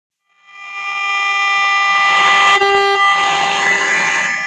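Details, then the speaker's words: All American 5/6 tube radio during alignment, shortwave band, signal generator at 11 MHz AM with 400 Hz modulation, after adjusting trimmer 8: steady 400 Hz tone swells loud and clean from speaker; plenty loud. "Well, that's plenty loud there."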